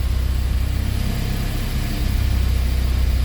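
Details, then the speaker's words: Honda CRX with swapped K24, no idle air control valve, idling with throttle plate fully closed: low, steady, even pulses without hunting, misses or knocks, idling higher than a normal car's 800 rpm, about 1,000 rpm per ECU; normal idle. "granted it's not perfect right it's not ising at like 800 RPM like a car like a normal car"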